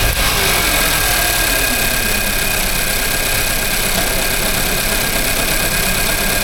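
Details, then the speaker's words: Nissan Juke F15 1.2 petrol idling with a huge misfire and lack of power: rough, uneven lumpy beat from cylinder one, found to have zero compression from a broken valve. "It's got the 1.2 petrol engine, and the customer complaint on this one is lack of power, a huge misfire, and a few warnings on the dashboard."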